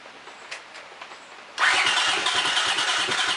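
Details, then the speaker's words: Honda CX500 twin with exhaust leaks and suspected sticky valves, after cleaning plugs: starter spins at a steady chug, engine never catches, one little fire; owner suspects no fuel or lost compression. "Well, seems like it's not getting gas or something. Let's see. Let's choke. Check them both sizes on. There's one little fire. Almost like it lost compression."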